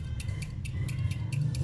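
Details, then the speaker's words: One-door fridge not cooling though lamp lights: compressor overload protector shaken by hand gives sharp, loose metallic rattles in quick bursts; a relay should not rattle, so this means the overload's bimetal has cracked. "Kalau misalkan ada bunyi seperti ini, udah pasti di bagian bimetal itu sudah pecah. Saya yakin udah pecah."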